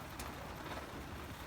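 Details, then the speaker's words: 60-year-old army mountain stove, owned since 1972, pressurised burner after preheat flame clears and pumping up: steady, even hissing roar with no sputter or pulsing, running cleanly at full flame. "then it'll glar out and then it'll get to a point where it'll start clearing out see it's going clear now you turn it on and then you pump it up"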